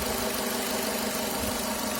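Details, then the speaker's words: Renault F4R 2.0 petrol engine at idle just after an oil change (Elf SXR 900 5W40) at 30,000 km: extra fast, airy rattling noise caused by the oil dipstick not pushed fully home. "масляный щуп был не до конца засолки такой [музыка] первое время побоялся завести искал очень долго оказался это был масляный щуп"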